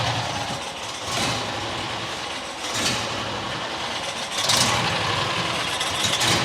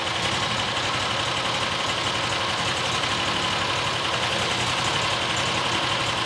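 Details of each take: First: New John Deere XUV side-by-side, idle screw turned in: idle rises and sags every second or two instead of holding; dirt suspected in carburetor low-speed circuit after a rodent nest, airbox also possibly affecting surging. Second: New John Deere XUV side-by-side after new fuel filter fitted: steady, even idle with no stumbling or surging, much better than before; likely debris in the low-speed circuit cleared.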